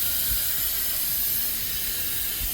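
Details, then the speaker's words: Ferrari overheating with a large coolant puddle after sitting 15 minutes, hood open: loud steady hiss of steam with no engine rhythm. Coolant is venting from somewhere ahead of the engine. "the steaming sound does not sound great it's just venting from somewhere in front of the"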